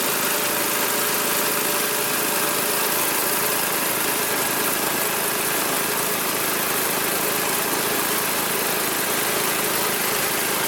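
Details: Magna air compressor, circa-1983 Briggs and Stratton engine, sat 5 years, first start on carburetor alone: steady even buzzing at constant fast pace, no misses, knocks or surging; runs awesome, pumps to 100 psi, owner may raise to 120.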